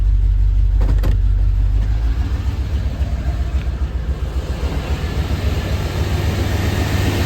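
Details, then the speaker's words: 1991 Chevy Silverado OBS small block with 399k miles, mid tune-up, took a while to start but runs better; plugs and wires still likely needed. Deep, steady V8 rumble with an even beat, no misses or knocks. Normal idle. "All right, y'all, to me, that kind of sounds like it's running better. Took a little bit to start there"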